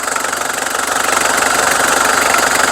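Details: Mitsubishi Strada 2.5 diesel pickup, registered 1997 with a 2005 front conversion. The idle clatter is even, with a regular fast tick and no misses or knocks. There is no white smoke, it drives long distances normally, and the seller says the coolant circulates well without pushing out.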